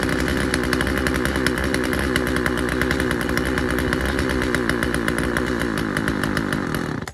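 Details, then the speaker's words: Husqvarna 136 chainsaw, first start: high buzzy two-stroke at a ragged, slightly hunting pitch; the low-speed carburetor mixture needs a slight adjustment. "All right. Uh sounds like we got to adjust the low speed um setting on it just a little bit, just a hair, and I think we'll be good to go."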